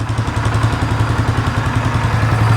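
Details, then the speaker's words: 2015 Polaris Sportsman 570 EFI single-cylinder ATV that sat outside for years, idling with the airbox removed after it was found full of water and cleaned out: low, even thump with a louder intake note, no ticking or knocking. Quiet, normal idle. "but I mean that motor is quiet again I don't have the airbox on here because it was full of water that thing's all cleaned out"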